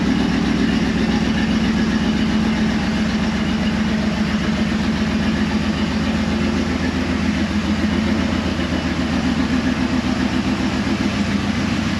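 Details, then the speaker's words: 2004 Dodge Ram 1500 SLT: steady, even idle, smooth low beat, no ticking from the front, so timing chain seems fine despite a mechanic's claim; cam position sensor code was cleared, sensor to be replaced if it returns. "i can't hear a note ticking from the front which would be the only reason the timing chain would be off like the other mechanic said or what i've been told"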